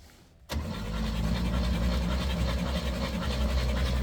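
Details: Rare Chevy G10 van engine, sitting about 25–29 years in dirt, with cylinder one reported at zero compression and four and five dead, cranks with strong, even low churning about four beats a second, no catches or clunks; turns over freely.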